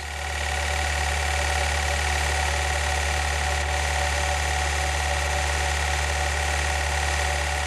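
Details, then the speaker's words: CFI engine: even drone with light, quick tapping underneath; diagnosed as a worn wrist pin. "I've listened while at idle then revved it up I'd say it's a wrist pin nut"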